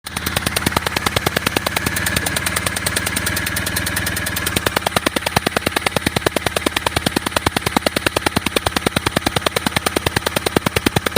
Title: injector compressor leakage/engine compression leakage around howto fix and replace bad injectorseal